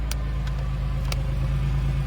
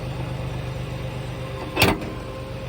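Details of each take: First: Chevy Lumina Euro 3.1 V6 just started on a battery after sitting about 10 years: deep, even, healthy idle rumble with light clicks; owner also hears a pulley whine, possibly water pump, alternator or power steering. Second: Chevy Lumina Euro with 3.1 engine, first start after sitting about 10 years on a weak battery: steady whine over a smooth idle rumble; an accessory pulley, unsure whether water pump, alternator or power steering, possibly low power steering fluid.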